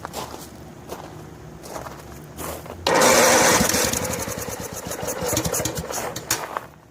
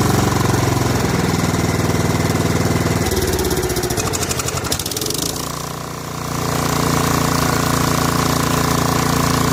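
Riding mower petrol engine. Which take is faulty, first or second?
first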